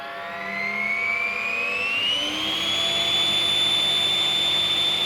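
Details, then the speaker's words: Snail-shell blower fan about 10 years old, now whining like a turbo: a thin whistling whine climbing in pitch over hissy airflow as it spins up, like a jet engine; cause not confirmed. "i've got a turbo fan everyone it sounds like a flippin jet engine"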